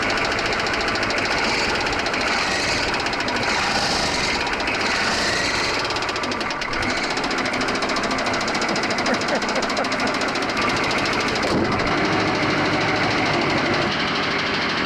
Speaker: Well, that sounds wonderful. Those old diesels, they just click and clack away.